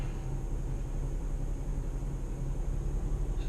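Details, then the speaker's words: 2013 Chrysler 200 with sporadic no-start/no-crank, after adding an extra 4-gauge ground wire and reconnecting the battery: quiet, even low idle rumble with no misses or knocks; normal idle, fix still unconfirmed. "let's try it again starting right up so let's hope that it fixed the problem"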